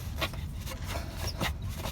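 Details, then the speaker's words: 2003 Toyota 4Runner V8 with the serpentine belt removed, belt tensioner pulley turned by hand: short dry squeaking rasps. The pulley is hard to turn, starting to lock up, and loose on the shaft; the bearings are bad and it needs replacing. "You hear it squeaking, and it's kind of loose on the shaft. That's definitely going to have to be changed."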